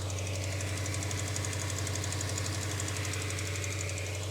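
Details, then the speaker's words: Subaru Impreza GC8 WRX EJ22 at idle after coolant crossover pipe repair: a new light, even tick about 2.5 per second that rose with revs; owner suspects an exhaust leak, not confirmed. "But now we got a weird ticking sound that we didn't have before. And I'm not sure what that is. Almost sounds like an exhaust leak."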